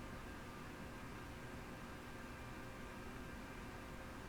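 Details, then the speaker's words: Yaesu FT-101E transceiver first power-up through dim bulb tester, lower sideband, 25 kHz marker, full volume and RF gain: only a flat low steady hiss, no marker tone; receiver not passing signal, signal injection next. "I'm not hearing any tone. So let's inject a signal into it and see if we can hear anything that way."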